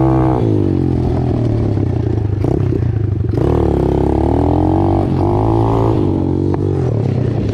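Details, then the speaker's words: Apollo DBX-18 dirt bike after replacing shredded transmission main and counter shaft gears and case, cylinder and head gaskets: single-cylinder revs climb and dip cleanly at each shift through all gears, no grinding or rattling; normal running and shifting. "Shifts out through all the gears just like it should. Hit a couple jumps on it. It's good to go."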